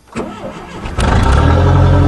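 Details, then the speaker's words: Cold start after sitting a while, turbo Dodge Aries race wagon with very low-restriction exhaust: short crank, catches promptly and settles to a steady even (high) idle; always starts the same; alternator belt squeaks a bit; healthy cold start. "Always starts the same."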